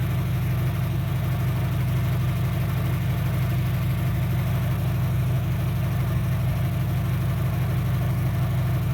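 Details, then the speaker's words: 2003 Dodge Neon 2.0 with a new timing belt and rebuilt head; 190 psi on all four. A low, lumpy idle with an uneven chug. It is running on only two cylinders because two outputs of the coil are dead. "so these coils here are dead. 2 cylinders. So that means it's running on 2 cylinders."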